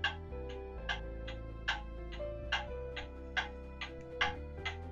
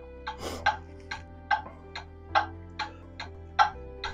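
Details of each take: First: Pendulum clock movement on a test stand with beat amplifier, after leveling the movement: even tick-tock at roughly seventy beats a minute, equally spaced; clock now in beat. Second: Pendulum clock movement on a test stand with beat amplifier, tilted to one side: sharp ticks about two and a half per second, uneven tick-tock gaps and loudness; clock out of beat.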